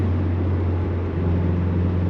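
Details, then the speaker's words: 2000 Subaru Impreza 2.5 RS, motor swapped over 150,000 miles ago, after new OEM spark plugs; full-throttle test drive: even, steady flat-four drone with no misfire. Old plugs fouled at high RPM, causing shudder and misfire over 4,000 RPM. "It's really smooth right now. Good, that's what's really good."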